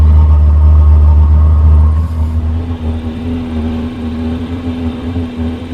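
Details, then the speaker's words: Chinese diesel heater just installed in a 2015 Freightliner Sprinter van, running after its fuel line was purged: steady low hum and even whir settling after a brief change, blowing hot air; normal running. "it's coming out hot it's just taking a while nice and warm just going to let it run for a bit looks like it's working"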